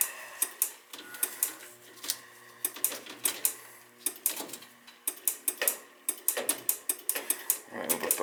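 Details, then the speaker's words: Dunkirk floor-standing high-efficiency gas boiler with a relay chattering, sharp irregular clicks about three a second, nothing operating, thermostat disconnected; water found, probably a bad control board. "this connector is still clicking back and forth nothing's still operating on and off on and off and i got the thermostat disconnected"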